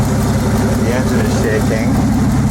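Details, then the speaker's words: Nissan 280ZX Turbo: warm idle with uneven loping thump like an old steam engine, one cylinder dropping out; injector number 5 gives no solenoid click, dead injector causing misfire. "sounds like just one of the injectors is not working right now it's probably that number five"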